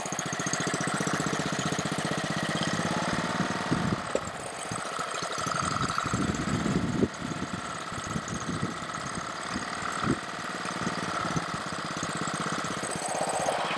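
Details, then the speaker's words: Honda-powered Ryobi 3100 PSI pressure washer that only runs on choke: engine fires steadily, then stumbles and surges unevenly as the choke is slowly opened; owner suspects a carburetor problem. "now it's a little better i'm slowly increasing well i'm taking off the choke i was getting a little bit better"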